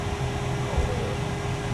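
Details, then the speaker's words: Nissan NV1500 after replacing the HVAC blower motor and blower motor resistor to fix no airflow from the vents: even rushing airflow with a faint steady hum on high, no squeal or rattle; normal blower operation, repair successful. "there you go guys just like that the fan is working now we're gonna have hot heat cold ac all is good"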